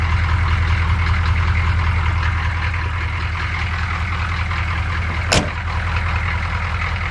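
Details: 1985 M1008 with Detroit Diesel 6.2 V8, first cold start in snow after sitting a week: deep diesel clatter at idle with uneven lumpy beat, two to three pulses a second, brief hiss; rough cold idle, cause unknown.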